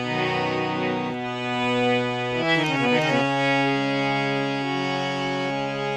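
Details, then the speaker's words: Harmonium reassembled and closed after tuning a few reeds: clear sustained tones across notes and chords, steady pitch without beating; tuned notes sound good, though the whole instrument could use a tune. "good so it sounds good now those notes i mean the whole harmonium could use a quick tune"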